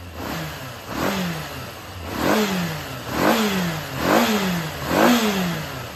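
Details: Yamaha XJR400 (RH02J) engine assembly H501E, sold as running with no abnormal noise or white smoke, compression measured: blipped about once a second, revs climbing and dropping smoothly with no knocks or rattles. Normal running.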